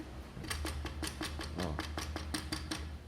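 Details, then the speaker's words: Motronik Go 06 scooter front wheel, spun freely with the cover removed: sharp even clicking four to five times a second from a loose front axle bolt holding the wheel. It also vibrates and is noisy when riding. "O parafuso aqui que prende a roda folgado, olha só, soltinho."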